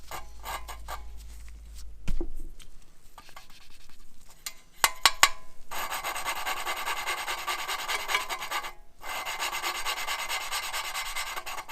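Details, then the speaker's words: Gas generator engine with no compression being repaired: valve lapped by hand with grinding compound and suction cup, harsh gritty rasping/whining as compound cuts; seat not yet fully seated. "let's see you hear that as whining the seat its seating the valve is making it the seat one one"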